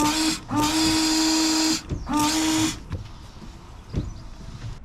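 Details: Range Rover Sport L320 washer pump after the blocked nozzle was blown clear: two short bursts of steady mid-pitched electric whine. The pump sprays normally, with one nozzle now working.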